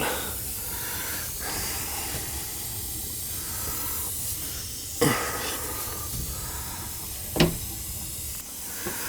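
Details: Gas boiler hydronic system with no heat to second floor, second-floor zone purged through hose into a pit with the zone valve head bypassed: hissing, spitting flow with sudden gurgling bursts as air and water sputter out; zone air-bound.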